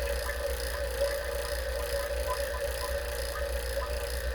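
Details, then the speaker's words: Refrigerator on R-600a being evacuated after a drier filter replacement: the vacuum pump hums with a faint bubbling gurgle, showing air still in the system; the gurgle quiets as the vacuum improves. "listen to the gurgley you want to wait for that to go away completely to know there's very little or no air left in the system"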